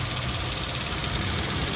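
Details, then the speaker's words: 2016 Subaru Outback during pre-purchase inspection, warm after idling for some time: smooth idle with fast, light even ticking on top, normal direct-injection injectors firing. "Um, these newer engines, you'll hear that ticking sound. Now, that's going to be your direct injection. That means you're hearing your injectors fire."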